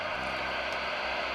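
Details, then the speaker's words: Johnny 2SC CB radio on channel 20 after replacing a microphone cable that cut out transmission and the cigarette-lighter power plug; steady even speaker hiss with no crackle or dropouts; receiver sensitivity working; normal receiver static hiss. "głośnik szumi czułość odbiornika działa widać i słychać radio odbiera jakiś sygnał"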